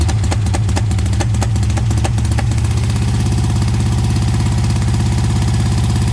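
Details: 1971 VW Beetle air-cooled flat-four under restoration, earlier run: settles from uneven catching into a steady, even idle with clean regular beat; engine running healthy.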